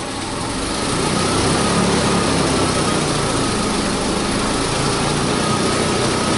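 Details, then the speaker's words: 2009 Toyota Tacoma 4.0L V6 with misfires on cylinders 2, 4 and 6 from a restricted bank 2 exhaust/cat, started with a sensor removed from the exhaust. Loud, raspy open-exhaust idle settles into a steady rumble, with a misfire only at startup. "we're gonna start the engine it's gonna be a little loud let's see"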